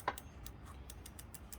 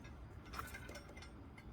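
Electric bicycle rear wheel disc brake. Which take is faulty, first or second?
first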